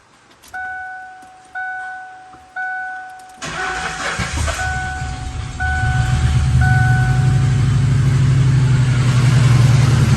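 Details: 1997 Lincoln Town Car Signature, sat 2 years after timing chain failure, new spark plugs just fitted: chime pings three times, engine fires into lumpy uneven idle, no better; one tailpipe cold, owner suspects blocked exhaust like a mouse nest.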